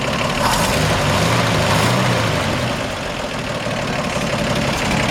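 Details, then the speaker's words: 1955 Ford F100 V8 with solid lifters, hood open: steady even idle with a light, regular lifter tick following engine speed, nothing uneven or knocking; normal idle. "healthy solid lifters you can hear they're all right"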